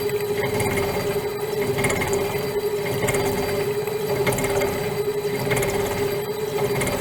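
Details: Metal shaper fitted with a modified internal cutting bar squaring out a hole: steady tone under uneven hammering knocks as the cutter vibrates and chatters in a heavy interrupted cut.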